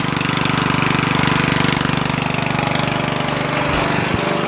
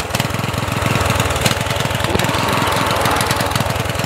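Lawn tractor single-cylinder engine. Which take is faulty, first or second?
second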